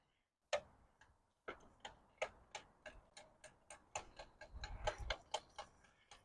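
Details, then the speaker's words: Full-suspension mountain bike being pedalled: sharp, regular metallic ticks about three a second from badly misadjusted derailleurs catching the chain. Drivetrain ticking. "it's nice being able to actually ride it but the derailers are so off that there's constant noise and Ticking sounds and stuff I think you can probably hear that"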